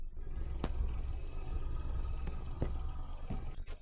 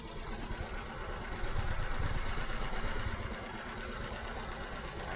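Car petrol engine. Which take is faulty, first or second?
second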